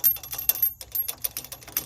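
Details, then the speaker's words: 2007 GMC Sierra Z71, driver's-side front: worn sway bar end link with bad bushings lets loose metal washers rattle tinny and irregular like pocket change, significant on bumpy gravel roads; fixed by replacing end links. "We've got a bad sway bar end link, and this washer is what is rattling."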